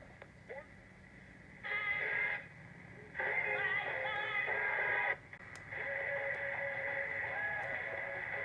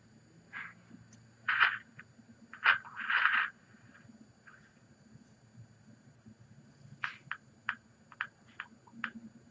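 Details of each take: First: Transistor radio after new 9 V battery terminals, replaced electrolytic capacitors and troubleshooting: tuning brings in many stations in clear bursts with quiet gaps between them; reception is normal. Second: Transistor radio bought non-working: station comes through but irregular bursts of scratchy crackle come and go, signal cutting in and out; intermittent bad connection being traced.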